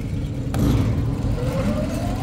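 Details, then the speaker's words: Belt-driven kitchen exhaust fan after belt tightened and pulley set screw and key checked: low, even rumble rising as it spins up, no grinding or belt slapping, slight vibration, grease-fouled fan; running normally and much quieter. "super quiet not making a grinding belt noise there's a little bit of a vibration to it but again they need to clean every one of these fans but it's a lot quieter we're not hearing belt noise anymore"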